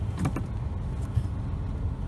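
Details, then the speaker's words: 2007 Toyota Corolla S, one year after replacing a damaged steering rack yoke that caused knocking when turning: steady low road rumble while turning, no clunk or knock; steering quiet and smooth, repair holding. "Yeah, after a year, the steering still operates quietly and very smoothly, and we never heard any knocking sound anymore after I changed the steering lock."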